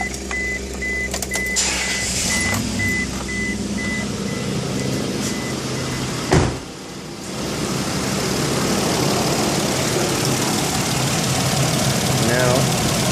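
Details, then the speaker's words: 2001 Isuzu Rodeo 3.2L with low fuel pressure, idling with the fuel pump fuse pulled before pump replacement: rough, uneven idle that sputters and cuts out halfway through as the fuel rail runs dry. "carefully remove that views and you can hear the engine sputter and kick out and so now we've used up the fuel in the fuel rail"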